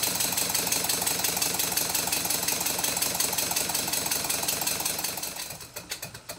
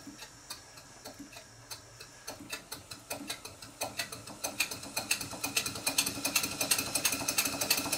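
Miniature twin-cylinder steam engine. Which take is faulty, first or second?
second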